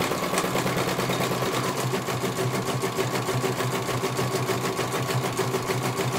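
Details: CNY computer embroidery machine in for service; at first its motor (dinamo) would not turn at all and the bobbin case was missing. Steady, even needle chatter at about three stitches a second, smooth motor hum, no knocks, finishing one colour; normal stitching, judged very good.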